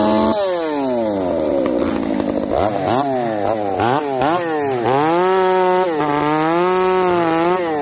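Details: Ironhorse 371XP chainsaw cutting: revs swing up and down, hunting, popping and farting instead of holding steady, lean then rich and refusing to tune; bad gas suspected.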